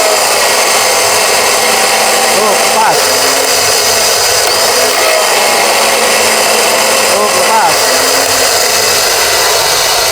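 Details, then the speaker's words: Airman compressor starter motor on the bench, wired directly to battery without relay after parts from two starters were combined: spins fast and strong but its high whine is harsh and gritty; possibly a weak winding or worn armature. "Kuatlah ya. Kuat kuat. Berarti memang suaranya kasar ini."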